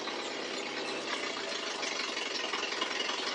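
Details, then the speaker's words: Cranky car after sitting, with exhaust manifold/downpipe trouble and the choke still partly on: uneven, lumpy idle with a ragged, hissy exhaust note; the exhaust leak and choke make it stumble. "You can hear her with the back pressure screwed up. She doesn't like running smooth. Plus, her choke is still on a bit."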